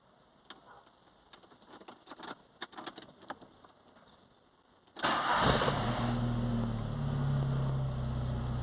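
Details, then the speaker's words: VW Gol/Saveiro cold morning start: fires after cranking, catches and dies, then runs uneven and stumbles when revved; faulty coolant temperature sensor. "deixa eu ver se pega aqui mesmo assim ó ele pegou morreu tá vendo pegou ou morreu"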